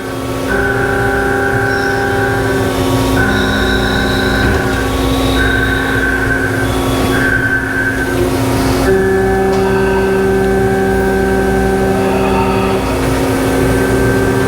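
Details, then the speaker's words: CNC lathe with coolant spraying, final process shaping end of hard anodized radius rod from hex material: loud steady roar with tones cutting in and out as the bit makes a normal interrupted cut over the hex flats. "So this is currently a hard anodized radius rod, and the machine is doing the final process to knock the shape into the end. So you can hear the sound of the interrupted cut of the bit going over the hex material."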